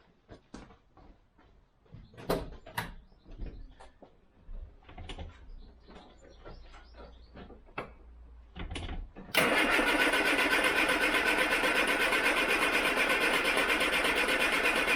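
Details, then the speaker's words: Austin Allegro after replacing all fuel pipes and filter, lines dry, about half choke: uneven starter churning about nine seconds while pump and carb prime, then catches and settles into steady idle. "the car will take ages to start because obviously there's no fuel in any of the lines bar the little part from the tank to where gravity is feeding it i guess now down to the front here obviously um so it's got to prime the carb and the pump"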